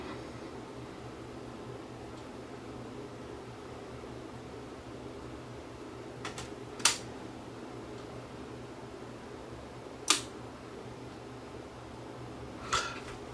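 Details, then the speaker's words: Dual-made Crosley CS430 turntable after a new cable fixed its humming: at full volume only soft steady hiss and faint motor noise, no mains hum; motor running slightly fast. "But oh well, it was humming, as you can hear. Volume all the way up full. It's not humming anymore. New cable. It's working."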